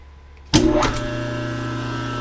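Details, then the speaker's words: American Rotary 25HP rotary phase converter, newly wall-mounted and wired to the breaker box, with the machine switch off: a switch clunk, then the idler motor spins up into a steady, clean hum with no knocks or grinding, running normally. "it's on. Idler motor, as you can hear, is running. Everything's going."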